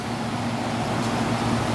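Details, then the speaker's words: Samsung-branded Chinese window air conditioner after a new capacitor was fitted: strong, steady rush of air over a low, even motor hum with no wobble or drag; the fan now blows as it should. "oh yeah we got a lot more fan now blowing like it should"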